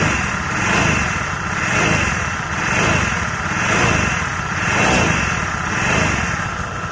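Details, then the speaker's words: Honda Vario 110 FI scooter, tested without the rear pulley: blipped about once a second, a high singing whine swells on even light throttle, from a worn crankshaft bearing; quiet at idle, sounds nearly identical to a worn final-drive bearing. "Jadi suaranya kayak gitu ya. Kalau digas pelan aja langsung sing sing sing. Suaranya ini sama persis ya, sama bearing gardan."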